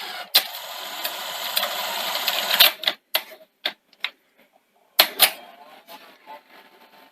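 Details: Sony SL-C30 Betamax after the front-loading rebuild: the motor whirs about two seconds, then crisp, evenly spaced clicks as the cassette seats; normal loading.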